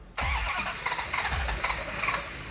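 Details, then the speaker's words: Hemi Dodge Charger cranking after pumping the gas: engine spins over freely and quickly with no firing catch; suspected timing too retarded, to be pulled toward advance, not confirmed. "okay I think it needs more timing when you hear an engine crank so easily and it doesn't quite want to fire most likely the timing is in a position"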